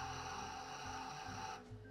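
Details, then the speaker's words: Eversys espresso machine powder test: steady high-pitched grinder whine holding about a second and a half, then stopping cleanly, a normal grind cycle dosing about 18 grams. "push powder test you'll hear the machine grinding the coffee just as if it was brewing a dose"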